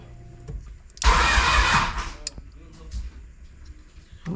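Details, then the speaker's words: Honda G23 engine in an H2B build with a notched K-series intake manifold, a tripping TPS and a possible oil leak from a block plug above the oil filter: it catches, revs briefly, then stumbles unevenly, kept alive on throttle; rough start. "that didn't sound good finally y'all I was keeping it alive with the throttle"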